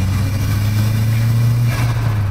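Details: Renault 5 GT Turbo just back from its MOT, with the owner saying all is not well, yet it sounds good here: deep, strong, steady engine drone without misses, knocks or rattles; normal revving.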